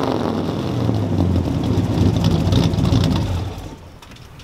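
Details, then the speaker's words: 1966 Chevrolet Impala V8 with leaking 24-inch cherry bomb glasspack exhaust, revved toward its 4,000 rpm redline. A deep V8 blips up and falls back with a loud raspy roar and chuffing at the pipes; the leaky exhaust, not the engine, makes the noise. "Yeah, you can see them ripping it up because they're over axle and they leak really bad. They make terrible obnoxious noise."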